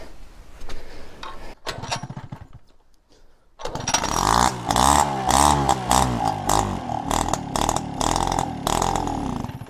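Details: Peugeot 103 RCX two-stroke moped during first start of a build; stuck carburetor needle, choke pulled manually by cable; with choke off it sputters and dies, then restarts with an uneven buzz, revs surging and dipping, faltering without choke.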